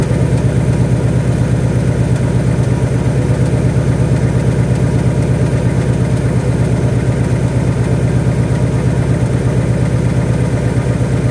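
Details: 2018 Mustang GT V8 at idle with a light even tick at about 85 per minute that comes and goes; owner wonders about rod knock or piston slap, source unclear.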